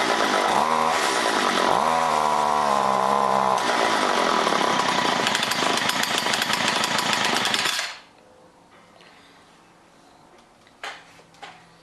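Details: John Deere BC1600 trimmer (possibly Homelite UT-15198 equivalent, Zama H46 C1U carb), sat for years, cold start on fresh mix: buzzy revs rise and sag unevenly, never reaching clean top speed, then cuts out; owner suspects carb goop, may need carb job.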